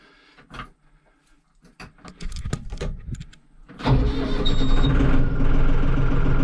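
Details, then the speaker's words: Mahindra 6065 diesel tractor after service reminder reset via fuse and trip button procedure: clicks and cranking, then catches and settles into a steady even idle with no warning beeps; normal start and idle. "hey there we go that sounds much better nice very nice and it really wasn't too bad"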